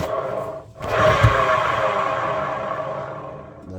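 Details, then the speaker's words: Turning the drum of a 6 kg washing machine by hand gives a coarse, rough rumble with a ringing roar throughout, a very irritating noise; the drum bearings are worn out and damaged. "means the bearings are worn out. The bearings are damaged. It's a very irritating noise."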